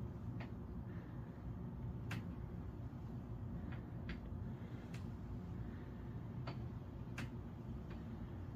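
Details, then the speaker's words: Door hinges after WD-40 lubrication; door swings back and forth with only soft thuds and light latch ticks, squeak completely gone, hinges quiet. "okay so I already opened the door and it didn't squeak but I'm just going to continue to kind of open and close the door here a couple times or a few few times just hopefully I'm moving around the WD40 in the hinges and you can see the squeak is completely"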